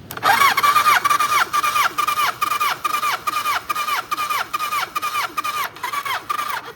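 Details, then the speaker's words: Kawasaki ZN1100 compression test on starter, cylinder two reading about 170 psi; even, strong compression pulses a bit over two per second, good compression. "Wow, that was just about 170."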